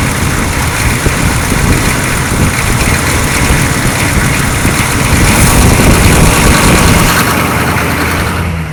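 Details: 6.2 diesel Suburban idling after installing a freeze-plug 41mm block heater and new alternator and refilling coolant; steady clatter with deep even rumble, no misses or knocks; normal idle.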